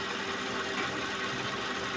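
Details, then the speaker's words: Suzuki Vitara power steering after replacing foaming fluid and cleaning very dirty reservoir strainer: quiet even pump hum with faint steady tone over smooth idle, no groaning or whine; performance improved; normal power steering pump. "So ngayon bago na at ah may pagbabago naman sa performance ng power steering."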